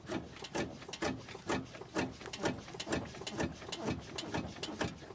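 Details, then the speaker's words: Rebuilt wrecked Audi RS7 with oil-filled dynamic ride control suspension that leaked oil after the suspension assembly was replaced: sharp knocks about twice a second when the body is pushed; rear suspension clunk, cause unknown. "now I may not have seemed too loud in the rear right from that angle I guess but once you're driving it's real out it clunks inside there I'm not really sure what's going on"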